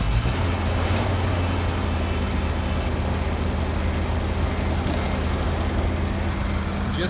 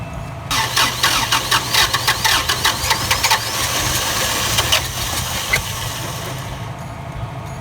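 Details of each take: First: Barn-find Toyota FJ60 Land Cruiser in cold weather, after a new carburetor and fuel pump, idling while burning off Sea Foam: steady low rumble with an even beat and no knocks or misses; runs cleanly. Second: Toyota FJ60 Land Cruiser barn find, cold winter start after a new carburetor and fuel pump, burning off Sea Foam and smoking heavily: cranks, catches, then settles into an uneven, lumpy idle with misses; runs rough.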